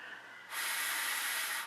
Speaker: obviously you can hear air being um whistling out and that's not supposed to happen so that means there is a pad off someplace